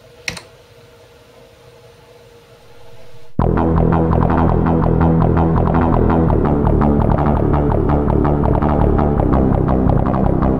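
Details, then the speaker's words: Roland CM-64 synth module (MT-32 family) playing a steady pulsing electronic track cleanly, no clicks or pops between notes, which is the normal expected sound. "So that's basically what it's supposed to sound like."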